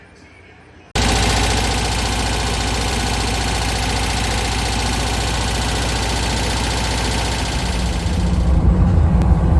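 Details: 1969 Porsche 912 air-cooled flat-four, first drive after sitting 25 years and a project rebuild; catches at once and settles into a steady, even idle; sounds healthy and smooth.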